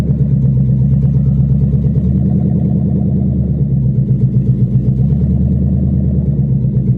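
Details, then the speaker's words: 1997 Ford Mustang GT V8 driven off a trailer with no exhaust, running open from the exhaust manifolds only, no pipes or mufflers: extremely loud, deep raw rumble with a choppy, uneven lope. "You guys can hear how loud this thing is, because it's ridiculous. She's crazy. That is wild."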